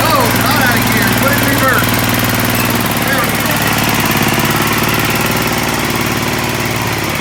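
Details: Sears ST/16 garden tractor revived after long storage with a new fuel pump, carburetor swapped from another tractor and rewired: steady even drone with a smooth firing beat, no knocks or misses; running healthily.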